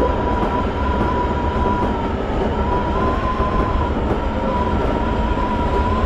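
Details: Toei 5300 series set 5315, Mitsubishi GTO-VVVF, on Keikyu line rapid limited express (Misakiguchi–Kanazawa-bunko), in-car recording: steady whine near 1 kHz over rolling rumble, abnormal traction inverter noise.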